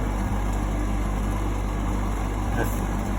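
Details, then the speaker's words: GE AHEK08ACW1 air conditioner, three weeks old, that kept kicking off, after bypassing the control board and reassembly; a steady low compressor and fan hum, even and unbroken with no cutting out or clicking, blowing cold. Normal running. "turn it back on so far it hasn't kicked off it is cold"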